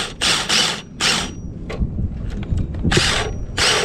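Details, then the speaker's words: 2008 Duratrax RTX-27 1/8 nitro monster truck, first start attempt: bursts of fast ratcheting starter whir without engine turning over as the one-way bearing slips; starter one-way bearing slipping. "well that was a fail the one-way bearing just started slipping"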